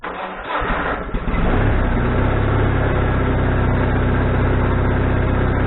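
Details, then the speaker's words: Wood-Mizer LT40HD sawmill engine, carburetor fine-tuning with needle about two and a half turns out, slightly cooled: catches roughly, surges up and down, then steadies; owner suspects needle needs another half turn. "seems like it's running good now the first Super surgeon and then I tried it twice it settled down and in the surge I might need another half turn on that needle Bob so I'm going to try that see how that works"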